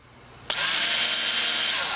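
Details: Work Sharp knife sharpener after repair of the shattered plastic idler wheel, epoxied onto its bearing: quiet, then the motor spins up to an even, high whirring hiss with no knocks or rattles; running normally.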